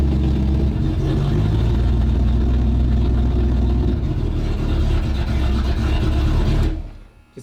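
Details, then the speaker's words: Port engine of a tank fitted with two 350 Chev small block V8s (not period correct) started: deep, throaty, even V8 rumble holding steady several seconds before shutting off cleanly; healthy start and run. "This is the one with the two 350 Chev small block engines in. So, it's definitely not period correct, but it sounds really grass when it's when it's running."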